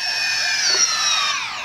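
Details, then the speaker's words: DJI Phantom 4 Pro motors after reverting firmware to V01.01.0203: steady even high whine with no clicking (earlier firmware caused click-click on start), then smooth falling pitch at shutdown; normal motor run and spin-down. "When you shut down the motors, nice and smooth."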